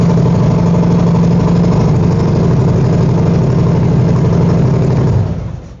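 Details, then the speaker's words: 2021 Harley-Davidson Road Glide V-twin started after installing a fully charged new NOCO NLP30 lithium battery: strong, even idle with a loping beat, no misfires or rattles, then clean shutdown; running normally, volts reading good. "So now that that's done, we're gonna fire it up, make sure we're good to go, and no issues."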